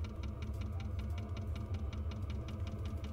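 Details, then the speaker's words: Newly installed diesel air heater in an ambulance camper conversion on first start. Steady low combustion rumble with the fuel pump ticking quickly and regularly over it as the heater ramps up and blows warm air: normal operation. "yeah from what I understand this is the ramp up like as it I'm gonna put the cap back on and see if it doesn't keep running oh yeah oh yeah it's cooking now"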